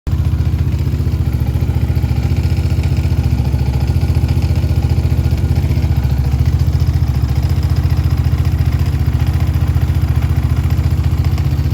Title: Yamaha raptor 700r strange engine noise!!!